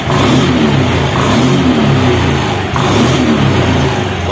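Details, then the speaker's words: 2021 Honda Beat scooter after ECU reset, EOT sensor reset and altitude mode setting, engine started and throttle blipped: revs climb cleanly and fall back without stumbling; normal, responsive throttle. "Let's try to pull the gas. Is it responsive or not because of the mode setting process"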